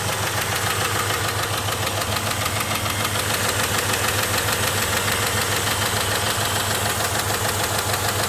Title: Jeep engine noise